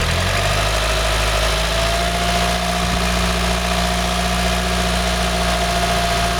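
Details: Mitsubishi 4G63 MIVEC 2.3 L engine at idle: hollow rapping knock through smooth running with a steady whistle above; piston slap suspected, cause never found.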